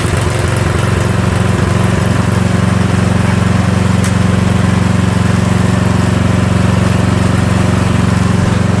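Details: Troy-Bilt snow blower small single-cylinder engine runs steady and even at constant speed after a gear selector adjustment that restored forward and reverse; no misses, knocks or surging, healthy.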